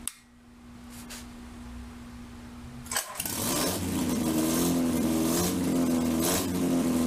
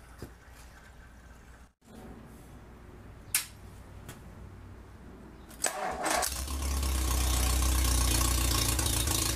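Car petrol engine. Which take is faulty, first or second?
first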